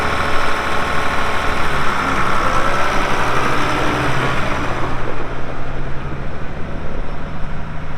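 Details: 1979 International 986 2WD cab tractor diesel, about 3,200 estimated hours (meter reads 2,321, not working), light use on ~50 acres: deep steady idle with even rumble, no knocks or misses; runs great, normal idle.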